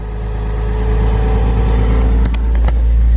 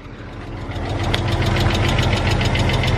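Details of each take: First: 1999 Porsche Boxster after sitting four years, knocking/tapping noise now gone after running a few minutes; even smooth note through light throttle blips, no ticking or tapping; normal running. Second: 1999 Porsche Boxster salvage-auction car that sat for years on five-year-old gas, just started and idling; quick light ticking about three times a second over steady idle, expected to fade as it runs; valve train ticking.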